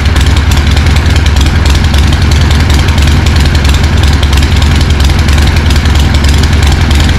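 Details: 1974 Harley-Davidson Ironhead chopper, not run in 15+ years, carb swapped to an S&S Super B, no exhaust pipe fitted; loud deep loping V-twin idle holding steady at about three and a half pulses a second.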